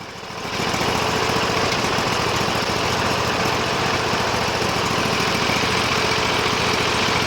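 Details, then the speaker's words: Sears Suburban loader with a 20 hp Briggs & Stratton Vanguard V-twin (143 hours): a fast idle with a slightly ragged beat and faint stumbles when given a little throttle; the owner thinks it is running out of fuel and suspects the fuel pump. "Give her a little bit of throttle, see if she sputters. Oh, look at that. Oh, sounds like it's starting to run out of fuel, so that's why I'm thinking it's an issue with the fuel pump."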